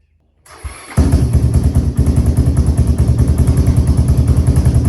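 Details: Honda 400EX quad revived from locked-up engine, new oil pump, solenoid jumped with pliers: brief cranking, then catches and settles to steady even thumping idle with no knocks; header leaking. Normal start and idle.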